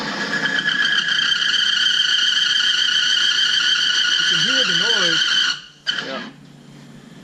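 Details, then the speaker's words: Oil friction tester running conventional motor oil with 5,000 miles on it: a loud high squeal holds steady for about five seconds, wavers, then cuts out abruptly as the tester locks up just below 5:15. "okay this is a friction test friction tests on a conventional motor roll with 5,000 miles on the oil let's see what happens here all right 5,000 miles"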